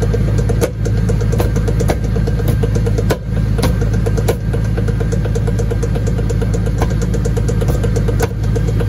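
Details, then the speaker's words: 2002 Chevy 1500 (Silverado) 4x4 on a lift, whole truck off the ground; a click thought to come from the transfer case toward the rear end is a bad U-joint, sharp clicks about once a second over the drivetrain hum, repeating with shaft rotation. "all right there we go there it is bad you joint"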